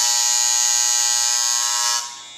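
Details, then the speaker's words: Andis Improved Master clipper after the armature adjustment screw was tightened just until the clattering stopped: an even, high, steady buzz with no rattle until switch-off. Normal, smooth hum, tuned for maximum stroke. "Just when the clattering stops and the hum gets nice and smooth, if I pinch it at the sides like this, you'll hear a tiny little clatter."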